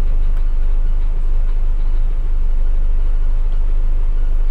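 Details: 1990 Daihatsu Charade GL saloon, old engine with slight seepage, heard from inside the cabin: smooth even low rumble with no knocks, misses or ticks; healthy steady petrol idle.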